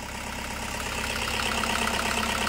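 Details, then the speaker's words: Toyota Hiace 2KD diesel with power loss, shaking idle, hard starting and stalling off throttle; injector leak-back test flagged injectors; active-test cut of cylinder 1 makes the lumpy idle limp more, so cylinder 1 is firing. "dia mesinnya guys ya di pincang ke nomor sat yaah berubah De ya nomor sat berubah berubah ya"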